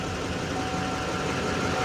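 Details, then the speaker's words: Salvage truck with turbo at auction lot, listed start-no-drive, low battery: fired right up, steady idle with regular exhaust, turbo spool audible, no check lights. Normal idle. "she does turn on ooh that battery looks a little low might be enough let's see fired right up"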